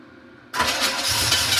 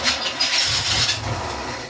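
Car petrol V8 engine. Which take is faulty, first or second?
second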